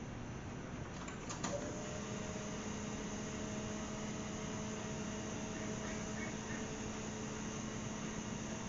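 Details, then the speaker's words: Classic AMC Gremlin V8, newly installed Holley/Summit blue electric fuel pump with regulator, ignition key on: click then faint steady electrical hum; pump running, but unsure fuel is flowing and may need priming. "all right I'm gonna have to probably I may have to prime it I can hear it running but I don't know if there's any fuel coming through it"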